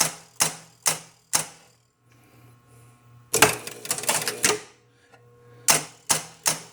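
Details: Williams Ringer game during play after a ringer: crisp relay clacks about twice a second, then a burst of rapid score-motor clatter and more even clacks; cycling normally.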